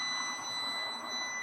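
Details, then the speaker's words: AutoOne 10000A jump starter with air compressor, clamps connected backwards (negative on positive terminal): loud, steady, high electronic beeping reverse-polarity warning, with a red indicator light. "So reverse polarity, you'll get a large a loud beeping sound that sounds like this."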